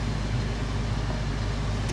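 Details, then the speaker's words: Honda Accord with 284,989 miles and a broken CV axle, at Copart, idling after start-up: an even low hum with no ticks, knocks or stumbles, and AC switched on. ABS, maintenance and check engine lights are on. Normal idle. "it runs great uh I'd be curious if the air conditioning works"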